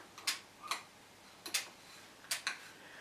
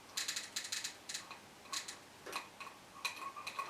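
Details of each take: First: Mesa Boogie Triple Rectifier Solo head, about 2004: single crisp relay clicks and quick pairs at each press, with no fast oscillating chatter; normal relay channel switching when the button is not held down. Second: Mesa Boogie Triple Rectifier amplifier, footswitch button held down: quick bursts of sharp clicking, several snaps a second in irregular clusters, as channel relays oscillate rapidly; suspected faulty floor pedal switch; relay chatter.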